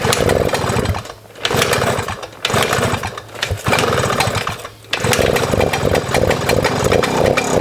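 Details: A 1997 Suzuki JR50, a 50cc two-stroke single-geared children's dirt bike, is being run after restoration. It gives a sharp, buzzy rev that rises and drops cleanly several times, then holds a steady rasp; the engine runs normally.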